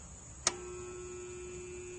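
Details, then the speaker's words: Hayward pool pump that failed to come on: after a click only a steady electrical buzz with no run-up, motor hums but never starts; cause is a failed start capacitor, fixed by replacing it. "you can hear a little buzzing typically this happens once a year and what it is is the capacitor"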